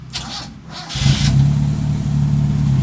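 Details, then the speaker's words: Restored 1980 Toyota Kijang KF-10 pick-up, tuned by the owner: short crank, starts on the first try and settles into a steady, even low idle with no knocks or misses; engine healthy. "Nah, dan ini untuk suara mesinnya, ini mesinnya 1 kali starter, Cekgur Tokcer, gak ada kendala bos, alias langsung starter jalan."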